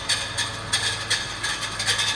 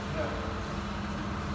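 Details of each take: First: 2014 Mitsubishi Pajero Sport: fast, irregular metallic rattling/grinding under the hood at startup that rises with rpm and briefly disappears. One of six torque converter-to-flywheel bolts had backed out and was striking the spinning flywheel inside the housing; its thread was damaged. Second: 2014 Mitsubishi Pajero Sport, 37,019 on the odometer, running after repair: the backed-out torque converter-to-flywheel bolt was replaced because its thread was damaged, and the other factory bolts were found not tightened; low even hum with no scraping or rubbing, smooth and quiet.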